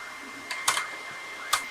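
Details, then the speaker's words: Technics tape deck, deck two: pressing play gives only a few dry mechanical clicks over a thin steady whine, no tape sound, transport not turning; suspected broken gear, drive belt found off its pulley. "You got to be kidding me. Nothing. So, all I get is a sound out of this thing."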